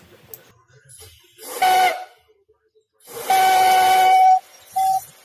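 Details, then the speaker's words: Amazon pneumatic CV joint boot installer that didn't work even at 150 lbs: loud steady train-whistle hiss whenever the trigger is pressed, stopping on release; air leaks found at the input valve and a leaking safety/blow-by valve. "Beside the fact that I when you press on it, it sounds like a train whistle."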